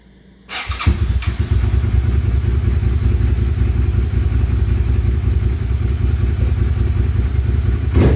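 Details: SV650 V-twin that had been running on one cylinder (the "SV325" problem), started after a mud-and-water plug was broken loose and cleared: catches quickly and settles into a steady, even lope with no stumbling or missed beats; both cylinders firing normally.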